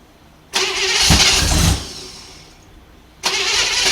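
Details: 1955 Chevrolet 210 Delray 265 V8, first start in years with choke and no air cleaner. Cranks, catches briefly with a rough roar, fades, catches again and won't keep running; owner suspects insufficient fuel or a faulty carburetor idle circuit.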